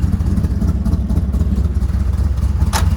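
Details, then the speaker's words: Ford F100 rat rod truck at idle after tuning, fuel pressure checked; deep, steady low rumble with even pulse about two beats a second, no clatter, settling out. Normal idle. "Sounds so much better. It's settling right out. I might turn the idle down a little bit"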